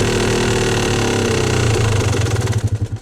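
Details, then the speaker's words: Warm Yamaha YZ250 two-stroke dirt bike after the idle screw was turned counterclockwise from a slightly high idle: the idle slows and stumbles, beats spreading out and nearly stalling. The idle is set too low, from too big an adjustment. "Oh, and that is too low. Too big of a change."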